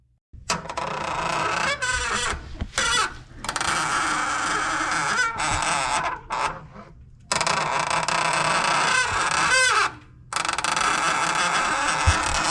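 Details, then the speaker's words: 1994 Chevrolet S10, noise when pressing the clutch pedal: honking squawks rising and falling as the pedal goes down, vibration felt at the slave cylinder; noise from the clutch slave cylinder, master cylinder, lines and slave to be replaced. "Entonces, en este caso, el ruido no viene de este cilindro maestro, sino que viene del cilindro maestro de abajo, que es el cilindro esclavo. Claramente se puede notar."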